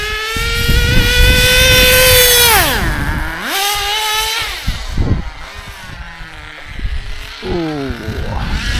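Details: ACME Condor Pro A300 1T 1/10 nitro RC buggy, circa 2002–2005, not run for about 18–20 years, engine preheated, throttle trim high; high smooth nitro scream rising and falling cleanly with throttle blips, no misfire; normal running.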